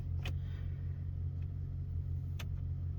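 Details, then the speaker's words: 2010 Ford F-150 5.4 V8, about 175,000 miles, after repair for P0303 misfire, rough running and flashing check engine light; restarted, steady even low idle rumble with no stumble, heard at exhaust; normal idle. "Feels pretty smooth. Let's go listen to the exhaust. See how she sounds. Sounds pretty smooth for 2010."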